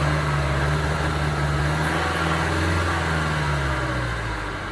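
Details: 2009 Ford Transit Sport diesel van idling: uneven, lumpy beat with stumbles in the rhythm; misfire, cause not pinned down.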